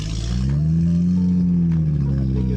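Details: BMW F10 rough idle with no codes, after clearing codes: steady low drone with slightly wavering pitch, idle not yet settled; owner suspects pollen in cold air intake, to be cleaned and intake adaptation reset.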